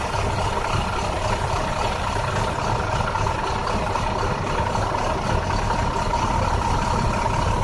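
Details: 2009 International bus diesel at idle: rough, uneven beat with loping pulses under a steady clatter, cause not evident; bad engine misfire.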